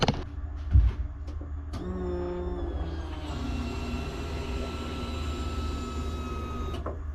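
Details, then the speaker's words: BMW E82 pro drift build before first start: after a click, a thin steady electric whine for a few seconds as the fuel pump primes in short 5-second bursts to check for leaks; normal priming, pressure building, system leak-free. "So, we'll do it in these little small 5-second stances and just see how it goes. And as soon as we turn on power, it will start priming."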